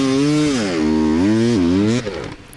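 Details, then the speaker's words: 2021 Gas Gas EC300 two-stroke on a dusty hard enduro hill climb: revs waver, strained and labouring, then the engine cuts out abruptly. The rider thought the chain or gears were binding; it was seizing, with smoke reported. "it sounds like it's almost like the chain is locking up or the gears are binding because it's just like i don't know it's like seizing up"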